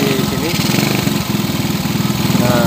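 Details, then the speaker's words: Supra 100cc with newly installed aftermarket ITSUNO cylinder head, oil confirmed reaching and spraying in the head: even, steady single-cylinder idle pulse with no tapping or knock from the top end; head sounds healthy, normal idle. "olinya sudah ee naik dan muncrat ya di bagian S itu sudah cukup bagus ya. sepertinya ee cukup bagus bunyinya untuk di head ini."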